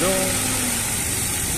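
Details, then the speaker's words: Dodge Attitude (Mitsubishi Mirage) radiator fan, collision-repaired car, fan switching on at about 96°C on first (low) speed over a smooth idle, steady even whoosh with no rubbing; cuts off at 91°C. Normal fan operation. "vamos miren ahí ya está he aprendido el ventilador ahora vamos a esperar hasta que baje 95 94 93 92"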